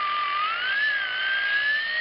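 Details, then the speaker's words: Alternator whine heard through a mobile HF radio receiver: a thin electronic whistle over the radio hiss, wavering and climbing with engine speed, a noise that is less common than it once was thanks to better diode arrays. "some alternators pulse a stator current similar to a switching power supply while the others use an analog method like a linear power supply"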